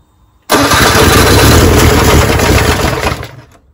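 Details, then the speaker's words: 1979 Honda Prelude barn find, sat for over 25 years, first start fed with extra fuel; fires abruptly and runs loud and ragged for about three seconds, stumbling and popping before dying; a large knock was later found: rough running. "that sounds horrible all right well i'm sure it's getting rid of a lot of that's been sitting in there for a while"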